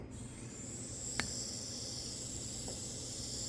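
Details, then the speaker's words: Nissan 180SX intercooler piping under compressed-air pressure test, engine off: steady high-pitched hiss as boost leaks at a hose joint after another leak was sealed; leaks cause poor idle and rich running in boost. Boost leak. "It's leaking out of here now. Of course, this is bound to happen whenever you close one leak, another one's gonna open."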